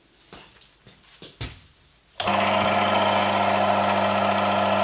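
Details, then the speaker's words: Lubricant friction test rig with a V-belt-driven motor at 750 rpm, automatic transmission fluid in the oil pan, low load: steady, even smooth hum, no grinding; fluid friction, metals separated. "The lubricant does its job, separating the two metals from each other. We have fluid friction now,"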